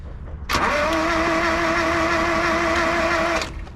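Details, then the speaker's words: 1976 Ford Courier mini truck, long unused, cranking in neutral on a freshly connected battery with starting fluid: steady starter whirr about three seconds, even and not galloping, no firing; cranks but won't start, compression confirmed present. "it's cranking do it again it don't sound like it's Galloping either"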